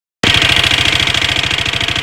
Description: This is strange noise coming from my Leo 250